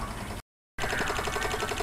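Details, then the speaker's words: Van battery discharged to about 5.8–5.9 volts before a jump-pack test: rapid, steady chattering clicks after a brief dropout as the IPM relay clicks on and off from the very low battery voltage. "I've got this thing discharged down the five point eight five point nine volts so as you can hear the IPM is clicking away because it's got super low voltage"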